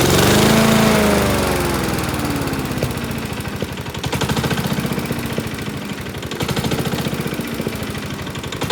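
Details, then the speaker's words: Honda self-propelled lawn mower, about 590 hours: heavy, regular knocking about four per second, sounding like a big-end bearing; cause is a cracked blade carrier disc wobbling on the crankshaft. "now that causes that whole disk to wobble when the crankshaft and causes that bad knocking noise"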